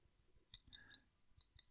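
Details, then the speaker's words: Retro 51 Tornado fountain pen with 1.1 stub nib: a few sharp, light clicks with each tap, capped or uncapped, from the ink converter worked loose inside the barrel. "as I tap it, you can hear something tapping inside. If I take off the cap, still got that."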